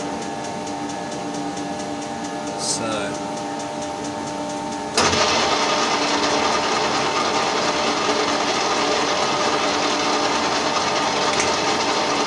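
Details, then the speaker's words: Colchester Triumph 2000 lathe skimming a 1930s Studebaker cast-iron front brake drum in a 12" 4-jaw chuck at about 80 RPM with carbide inserts; quiet run, then sudden loud, rough, continuous ringing as the tool bites; chatter, possibly the drum ringing. "chatter is still horrible quite often once it's there you cannot get it out again just the tool running over it sets up the vibration"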